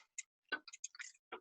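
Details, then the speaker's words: Bicycle with rear derailleur cable tension too tight: light irregular ticks and chatter as chain turns, chain jumping without shifting; misadjusted rear derailleur. "also more noise it can be more noisy and the chain can chatter you're like ticking I'm not sure if you can hear it there's a little bit of a ticking sound and so you know it's not right"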